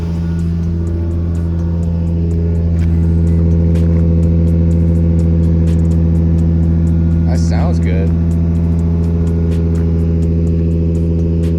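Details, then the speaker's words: Lexus SC300 with misfire, after quick parking-lot replacement of a bent part, driving: steady even engine drone, smooth pitch under light driving, sounds much better; no misses heard. "how's it feel man good so far so good it sounds a lot better too like it like a lot"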